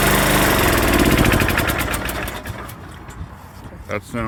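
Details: Craftsman LT1500 riding mower, restarted after tightening the steering assembly during a revival (blades, deck, drive belt, battery; valves needing adjustment, no smoke): strong, steady single-cylinder thump about four beats a second, settling smoothly as it winds down; runs evenly and much better.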